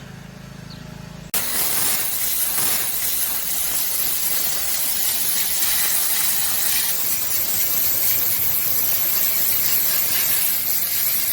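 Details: Central air unit condenser fan motor after cleaning, previously too loud and humming: after a brief quiet moment, a steady, even rush of air as the fan runs normally; normal condenser fan operation.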